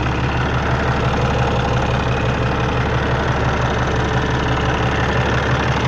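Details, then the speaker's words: Peterbilt with an ISX Cummins CM2250 at about 829,000 miles, after repairing a front structure oil leak: fan shut off, air dryer purges, then a deep, steady, even diesel idle with no misses or knocks while checking for leaks; healthy. "you'll see the air dryer purge on it and we'll idle it back down see what it sounds like check for leaks make sure we did everything right"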